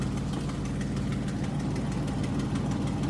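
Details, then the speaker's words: 2010 Jeep Liberty with an exhaust leak, at idle: when the A/C compressor clutch engages, the engine lugs with a low uneven drone. The compressor cycles off and then back on, and the A/C is working normally. "I can hear the engine starting to Lug so that means it's the compressor is running just shut off should start again soon there it goes"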